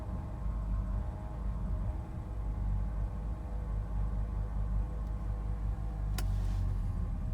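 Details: 2006 BMW 325i N52 six-cylinder at idle: low, uneven rumble with a slightly lumpy, unsteady beat; rough idle, cause not identified.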